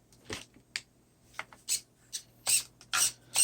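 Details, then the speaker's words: Steering servo on an Arrma Voltage Fazon RC truck turning left, before servo replacement: short, even whirring bursts with each sweep, no grinding or skipping; servo sounds normal in this direction. "truck turns left just fine."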